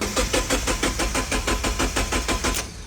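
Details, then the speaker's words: Mazda Miata abandoned over 10 years, cranking after a squirt into the intake and spare coil pack laid on: even cranking about three strokes a second, no firing; crank sensor later found rat-chewed. "All right, now I guess I gotta swap the sensor out. So I got a sensor right here and a sensor down there, the crank and the cam, and hopefully that start."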